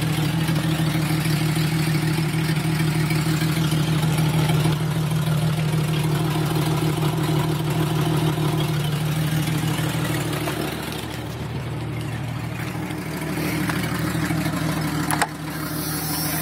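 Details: 1996 Jeep Cherokee Sport 4.0 inline-six idling with a loud raspy exhaust puff about three times a second from a cracked Y pipe, a leak that worsened over six months; misfire also present.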